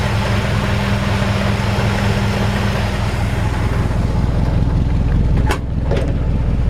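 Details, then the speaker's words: 1951 Ford F1 pickup fitted with an older Chevy engine with single-barrel intake, hood open: smooth, even low rumble at steady idle, no knocks, misses or ticks; normal idle. "And you can hear how quiet that engine is. I mean, it just runs perfect."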